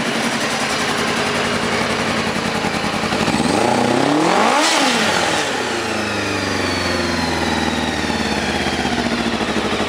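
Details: 2000 Kawasaki ZR-7 750cc four-stroke, recently tuned up with new plugs and wires, carbs cleaned, aftermarket exhaust, on choke: steady idle rises into a clean rev and falls back to even idle, no misses or knocks; normal running, owner notes slight rattle near 5,000 rpm.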